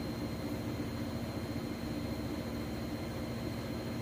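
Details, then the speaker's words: Whirlpool Cabrio electric washer in drain-and-spin-only mode (extra rinse button), at its fastest spin: a steady, even whir with a constant low hum and no thumping or banging. Stable, balanced, normal spin cycle. "nice and stable sounds great if you can see there it's spinning really fast"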